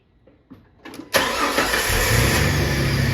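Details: Car started while a multimeter reads across the battery terminals: a couple of short cranks, then a quick catch into a steady, even idle. Voltage dipped to about 11.3 V, staying above 9.6 V, then charged at 13.9 V; battery good.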